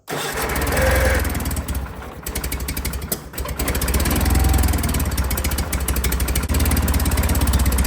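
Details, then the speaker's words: John Deere 316 tractor single-cylinder engine after first attempt to tighten a slack throttle cable: runs with uneven pulse, never climbing to full speed; repair didn't work; engine not reaching full rpm. "And just as suspected, I can't fix a damn thing. That didn't work."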